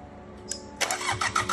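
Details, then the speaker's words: Sabb M4 diesel, 34 years old and never used, with an electric lift pump: slow, even starter cranking at about five strokes a second with no firing; the injector pump delivers no fuel to the injectors while cranking. "now remember there was fuel coming out of these ones even with the pump on but this like the sitting and there's no fuel coming out of this even when I crank it"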